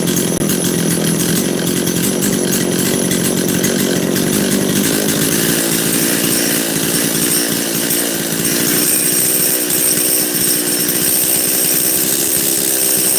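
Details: Makita DCS540 two-stroke chainsaw after carb tuning, high jet richened half a turn and low jet centred slightly rich; steady, even high-pitched scream with no bogging or surging, runs right.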